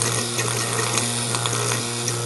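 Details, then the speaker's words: Worn rotary vane air compressor: steady low motor hum with rough hissy edge and weak pumping; motor stalls when fittings are tightened and bearings previously overheated and locked. Worn motor bearings. "the when I go to tighten these down the motor just stalls out and walks up in fact I even overheated and lock these bearings up once already"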